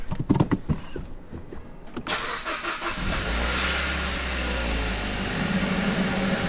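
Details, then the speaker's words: Kia Ceed GT, true cold start after about 12 hours sitting, four new coil packs just fitted, spark plugs not yet changed: cranks, catches, then uneven idle with an irregular stumble. Still misfiring; cause unknown. "it is still Mis faring a well that hasn't worked"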